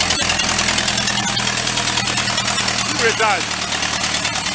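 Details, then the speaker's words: Vintage air compressor's small engine just started on partial choke: loud, raspy idle with sharp popping chuffs; a leak in the exhaust manifold is suspected, not confirmed, and an intake leak is possible; loud exhaust. "That is loud. I may try to, maybe we could take that cap off of there. Because it's probably going to even just take out the microphone on the camera."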